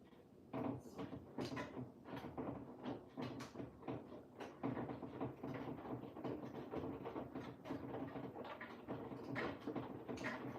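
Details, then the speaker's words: Front-loading washer on a Cottons 60 program, tumbling: uneven wooden knocks and bumps from the machine hitting the cabinet beside it, not a machine fault; machine needs moving slightly. "can hear that knocking. It is not the machine. It's the cabinet next to the machine needs to I do need to adjust it slightly."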